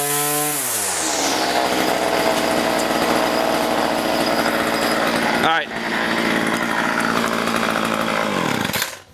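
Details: Weedeater two-stroke, low and high carburettor screws being adjusted: revs cleanly to a steady high buzz, dips once, drops back smoothly; runs healthy.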